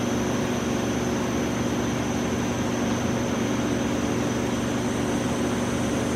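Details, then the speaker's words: Audi B5 S4 twin-turbo, pressurised with compressed air after the cracked charge pipe was welded and refitted: steady airy hiss with a faint high whistle; small leak at a hard-to-reach turbo inlet clamp. "all right so the last hissing noise or a leak that I'm finding is a one of the inlets for the turbos"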